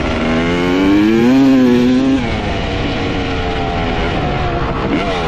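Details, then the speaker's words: 1995 Honda CR250 two-stroke dirt bike, previously bogging, run with the original CDI and stator swapped back in: revs rise to a clean wail and drop back to a crisp idle without stumbling. Normal running, so the CDI and stator are ruled out; the gas line or flywheel is still suspected. "well this is getting very bizarre so now both the CDI and the stator swapped out with the old one still runs good no bugging what the heck"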